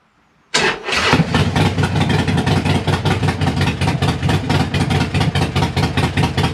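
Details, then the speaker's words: Harley-Davidson Sportster V-twin after replacing a leaking front exhaust gasket, with the O2 sensor reconnected: it starts at once and settles into a loud, even, lumpy idle with no ticking or puffing. It is still loud but much better than before. Normal start and idle. "so it's still loud but it sounds a hell of a lot better no"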